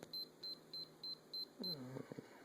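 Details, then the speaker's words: Sony camcorder with a brand-new tape: six short high beeps about three per second, then a mechanical whir; eject symbol shows, it won't record or play and ejects the tape; cause unknown. "beeps and you can see the little uh symbol there"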